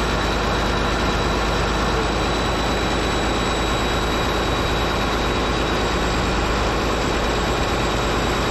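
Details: Caterpillar D8H bulldozer (46A serial, year unknown, No. 28 cable control unit) running after sitting 15+ years, once fuel reached it: heavy, even diesel rumble holding steady speed, no knocks, misses or surging, running good. Normal diesel idle.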